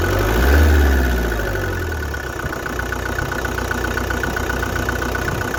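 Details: 1993 Vauxhall Cavalier MK3 1.7 indirect-injection turbo diesel: starts and settles into a lumpy idle with an uneven clatter of about four beats a second; idle is rough but smooths out when revs rise.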